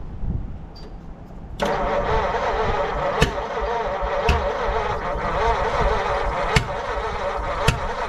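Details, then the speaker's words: 1940 Mercury Eight flathead V8 stored since the 1970s, with the distributor timing being adjusted. It stumbles with sharp, uneven popping and backfires through the intake from a stuck intake valve, and the valves are likely not sealing. The cylinder heads may need pulling. "Definitely hear popping in the intake, which I know for sure one of the intake valves is stuck. You might be to the point where I'm pulling the cylinder head. It's backfiring through the intake like that."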